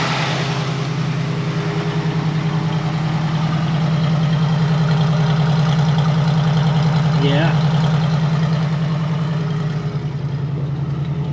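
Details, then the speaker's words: 1966 Ford F100 started to check the heater system for leaks, thermostat not yet open: rough, lumpy idle with a soft pop about 2.5 times a second; owner suspects a dead cylinder, not confirmed. "sounds the side sound different he's a little Poppy probably got a dead hole who cares"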